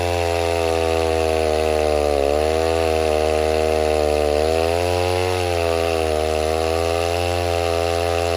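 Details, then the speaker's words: 070 clone chainsaw with 42-inch bar, first run cutting oak firewood: steady high buzz whose pitch sags in the cut every couple of seconds and recovers slowly; bogging under load, owner suspects the carburetor setting, unconfirmed. "I cannot get that carburetor on the 070 figured out no matter what I what I do uh the saw just wants to bog I can't seem to get it up to the RPMs that I want it"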